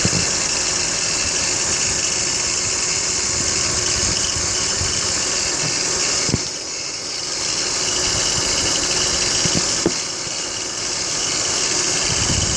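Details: BMW X3 E83 idling with a strong steady high-pitched hiss and whine plus an uneven rattle, likely a belt-drive pulley or bearing; owner suspects tensioner pulley or water pump bearings, not confirmed.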